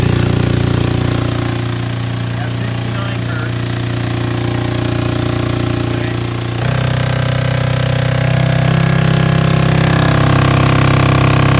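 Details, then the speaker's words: DIY 3.5 cu ft vibratory tumbler, direct-drive 3 hp three-phase motor on frequency drive, run up to about 120 Hz with nearly dry ceramic hybrid media (best performance about 88 Hz): steady deep hum, even media rattle, slight step up, no knocks; normal running. "you can change the amount of counterweight and that will change the frequency that it runs at but it runs it runs great I mean you can hear it"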